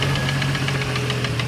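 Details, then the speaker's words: 1989 Jeep Cherokee XJ, Renix 4.0L stroked to 4.6L I6, AW4: sharp metallic tapping about six or seven raps a second over a low rumbling idle while temperatures ran a little high; a bottom-end-sounding knock, cause suspected, not confirmed. "Doesn't sound good at all. Temperatures were getting a little high, so I don't know. Something's no bueno, man."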